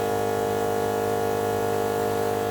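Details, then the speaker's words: NAPA MaxiTrac twin-cylinder air compressor, about 10 CFM (300 LPM), wired direct to the battery with the vehicle off, switched on to test. Loud, steady buzzing drone with an even pitch and no knocks or stumbles; pumping normally. "it's pretty loud i clicked it on just to see what it sounded like definitely sounds like it moved some air"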